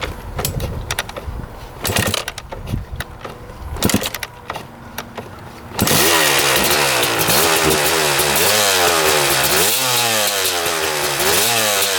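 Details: 1996 Kawasaki KX250 two-stroke after engine rebuild, first start testing power valves: scattered light clatter, then it bursts alive, revving up and down cleanly and crackling without bogging, though it sounds like it may be running a bit lean; normal running.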